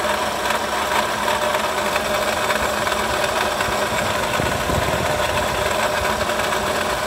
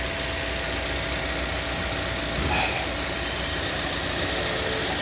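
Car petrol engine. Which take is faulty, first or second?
first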